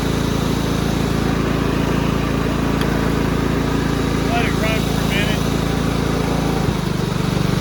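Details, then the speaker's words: Cub Cadet rider's 16 hp horizontal-shaft Kohler, warming up on very dirty old oil before an oil change: steady, even single-cylinder putter with no misses or surging. Smooth, healthy idle. "i don't want to run it too long this oil is disgusting but it runs great now"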